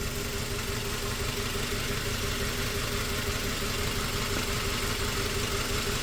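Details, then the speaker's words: 2004 Toyota Tacoma four-cylinder, 141,000 miles, after swapping coils and plugs: still a cylinder 1 misfire, lumpy loping idle about twice a second; later traced to a bad injector. "So we swapped. We are still cylinder 1 misfire. So this is going to get pretty interesting now."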